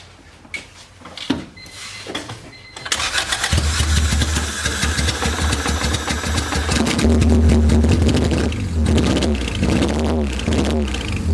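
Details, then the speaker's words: Honda B18B engine just started, not warmed up (radiator missing), O2 sensor disconnected after header install so running very rich: idle stumbles with an uneven, lumpy beat; misfire at idle, injectors suspected. "Yeah, I think it's gonna be those injectors. Yeah. It's a little better."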